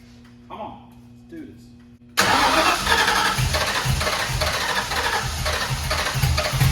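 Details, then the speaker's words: 1991 Mustang 5.0 LX V8 with Vortech V1 supercharger, F-303 cam, first fire after distributor work (possibly off by teeth, MSD bypassed): lumpy, uneven beat, running on about five cylinders; rough running misfire. "this technically that is not how it's supposed to sound look like yeah running on about 5"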